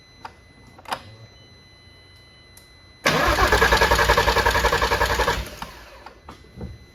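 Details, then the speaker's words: VW R32 that sat outside a long time, spark confirmed, fuel line pulled to test delivery: starter churns evenly for about two seconds and the engine never catches; barely any fuel came out, fuel starvation. "I don't think any fuel came out. I'm gonna look back on the footage, but I don't think any fuel came out."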